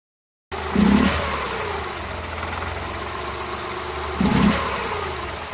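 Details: Suzuki Multicab F6A engine idling unevenly, occasional stumbles breaking the steady beat about two in five seconds: random misfire at idle, cause not yet known.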